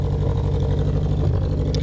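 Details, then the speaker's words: Honda CB500/550 SOHC four, warmed up, after idle screw turned about half an inch plus another half inch: quick, even four-cylinder pulse holding steady but sitting noticeably fast; idle speed too high, to be backed down about a quarter inch. "now it sounds like it's idling too high of course so down a little maybe another qu of an inch and see it'll it'll hold itself"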